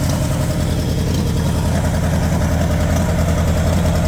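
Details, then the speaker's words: 1960 Pontiac Bonneville 389 V8 after sitting about 10 years, still on bad old gas: loud, low idle with uneven lumpy beat, a weak cylinder coming back and smoothing out, running less badly; rough idle. "That cylinder is starting to come around. That thing's smoothing out a little bit. It's not running as bad as it was."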